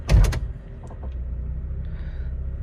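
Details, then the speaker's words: 2003 Honda CR-V automatic after fitting new aftermarket motor mounts reinforced with window weld. A door thump, then a steady low idle with no bang as gear is engaged. No clunk on gear engagement. "See? You guys don't hear a clunk after getting into gear?"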